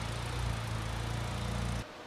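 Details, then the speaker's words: Honda FK8 Civic Type R Spoon build, first startup after fitting Spoon aluminum radiator and PRL intercooler and charge pipe, before Hondata FlashPro install: smooth, even low idle with steady firing and no misses, then shut off; sounds nice. "I think that's probably it for now uh next up we're gonna upload the hondata software I think we have do we have a base map for that we do we do we do so uh yeah so it sounds nice"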